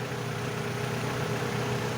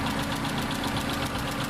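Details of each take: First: After adding a metal-coating engine additive, the owner's Sportage diesel idles with a steady low rumble and no ticking; before the additive it had a loud rapid ticking. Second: Kia Sportage diesel idling before treatment: quick, even ticking about ten taps a second over engine rumble; the ticking went quiet after a metal-coating engine oil additive was added.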